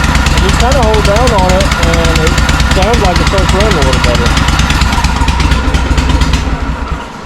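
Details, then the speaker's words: John Deere M665 zero-turn idling with the intake box and air filter removed: loud, uneven, skipping chug, seeming to run intermittently on one cylinder. The owner suspects a bad exhaust gasket on the left side. "I think it might have a bad exhaust gasket on this left side over here, but I'm going to pull these bolts out and we're going to see what I can find back here."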